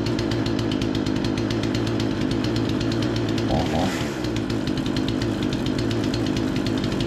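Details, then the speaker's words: Remington 46cc chainsaw, low-speed mixture screw adjusted back and forth until it sat right: quick even two-stroke putter holding a steady idle, no hunting or stalling; normal idle. "all I did was kind of just go a little bit back and forth on the low speed and once I felt like it was sitting about right"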